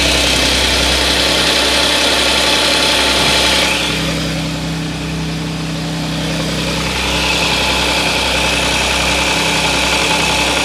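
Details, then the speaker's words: Audi S, bought 2014, cold start: busy, rattly metallic engine noise that briefly eases then returns, said by the customer to be most obvious when cold; suspected slack timing chain. "据客户描述呢，冷车启动的时候啊，发动机异响比较明显。"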